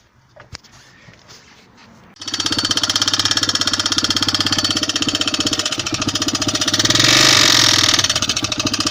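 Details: Yamaha XT 600 (2KF) top-end noise: starts fairly well but a loud, sharp, steady metallic clatter about four times a second at idle, with oil consumption; owner suspects a worn piston, not confirmed.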